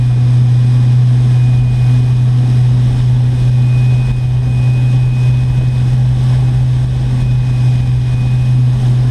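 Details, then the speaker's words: Red Delta electric boat on a new 4-blade prop at about 39, 3600 rpm, 166–168 A and 149 V. A loud steady drone with a rough uneven throb shows heavy hull vibration. The owner suspects the prop wash is hitting the hull too much. "but I can just hear that there's a lot of vibration coming into the boat probably the prop wash is being hit up too much so uh yeah not quite what we're looking for here"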